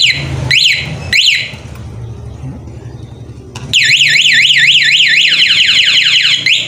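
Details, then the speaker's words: Honda Beat Street 2022 scooter with an aftermarket remote alarm (silent mode, remote start, shock sensor) armed: a couple of short warning chirps after the first knock, then a loud rising-and-falling siren cycling fast, the alarm triggered by the shock sensor. "bunyi getar satu kali itu tanda peringatan bahwa alarmnya ada alarmnya motornya makalah nanti disenggol dua kali dia akan bunyi"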